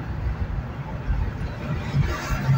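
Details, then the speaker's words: 2008 Ford Explorer Eddie Bauer, driven under load while changing lanes: deep uneven drone surging and sagging as two or three cylinders cut out (possibly cylinder five); intermittent misfire. "Ahí la está haciendo, ¿o no? Sí, ahí la hace. Se apagaron dos cilindros. Quizás tres."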